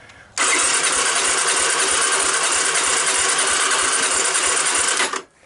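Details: 1985 Honda ATC250ES Big Red, abandoned 20 years and rodent-infested, on a jump pack with choke and starting fluid: the starter whirs about five seconds with an even quick beat but never catches.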